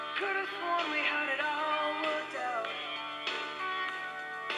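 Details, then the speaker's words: General Electric 3-5027A tape recorder playing music: pitch wavers and sags, notes bending as tape speed drifts; transport struggling to hold speed, suspected belt or tape problems. "you can really hear it it's not it's struggling to maintain speed all the other features work"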